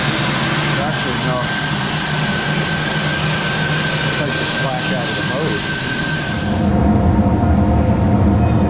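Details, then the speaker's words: Whole-shop sawmill dust collector blower started through a phase converter with the airlock on and the blast gate closed: steady rushing blower with a thin, constant high whistle through the screws; system running smoothly and healthy. "And put the airlock on. You can hear coming through these screws. Listen to that. With the blast gate closed, it's whistling."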